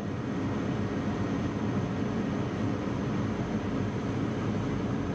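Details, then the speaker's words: Packaged gas unit on negative-pressure system, W2 heat call, control circuit after tripped transformer breaker reset; draft inducer ramps to high speed before igniter glows, steady low roar, normal pre-ignition purge. "it's a negative pressure gas system so all it does is ramp the speed up of the inducer"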